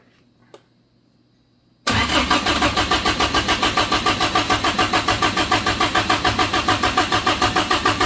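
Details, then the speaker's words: Suzuki Samurai rock crawler engine newly converted to propane: after a short silence the starter cranks evenly about three pulses a second, never catching; an open vacuum port left unplugged is leaking vacuum. "I have vacuum problems everywhere I thought that was only going into water but that is pulling vacuum and that's a another plug down here"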